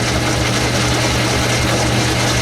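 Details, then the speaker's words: Old 10-inch Logan lathe turning blower studs, fastest speed, cutting 15 thousandths per pass: steady low motor hum with heavy, labored tone under the cut; motor bogging because the worn drive belt slips, belt to be replaced. "basically it's because of that belt i'll fix that"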